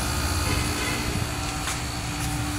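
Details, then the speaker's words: Window-type aircon after fan motor bearing replacement and cleaning (fan had been noisy, then stopped); compressor runs with a steady, even hum and low drone, no rubbing or grinding, fan now quiet. "Wala nang ingay. Yung ingay na naririnig yung mga boss yun. Yan. Yung run ng compressor."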